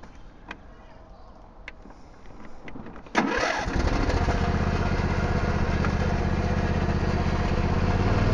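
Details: John Deere L120/LA140 riding mower with intermittent starting issues, after mower deck greasing: quiet clicks, engine catches and settles to steady even drone with deck spinning, no squeak; normal smooth running.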